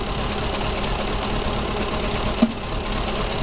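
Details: VW Polo 1.4 16-valve petrol idles unevenly with an irregular stumbling beat. The ECU appears to be cutting fuel to one misfiring cylinder running very high hydrocarbons, confirmed with a gas analyser.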